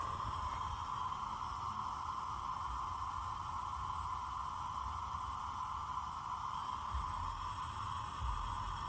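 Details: Trailer air ride suspension (Firestone airbags) with the compressor switched off: steady, even hiss at one pitch from air escaping through a small hole in a cracked airbag.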